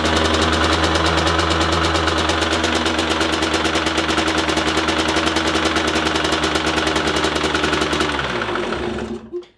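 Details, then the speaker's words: Derbi Senda two-stroke idling after a metallic clack while riding: hard, fairly regular knock about three times a second from one side of the block, every third revolution, then engine dies; owner suspected water or oil pump, found worn gearbox bearings with shaft play. "egy kopogós hang erről az oldalról. És hát nem tudom, hogy ez most akkor vízpumpa vagy olajpumpa, ugyanis minden harmadik fordulatra jön ez a koppanás."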